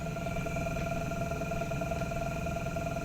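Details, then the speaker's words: Drive motor on a generator setup at about 20 volts, driving a small magnet rotor: steady whine with fast uneven clicking about three a second as it stops and restarts with no torque; clicking from low voltage, stops under load. "that clicking it'll go away watch I put it under load no words there's not enough power to keep it from stopping and starting and starting there's no torque on it now"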